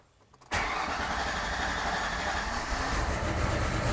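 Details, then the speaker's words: Project Hellstang V8, gauge read 0 psi though the pump ran: starter catches immediately, settling into a lumpy but steady idle with slight rise at the end; fuel pressure present, normal start. "Okay, yeah, we're all good. We got fuel pressure, so I don't know why it wasn't showing pressure. Anyway, whatever, it's got pressure now, it's working. It's running."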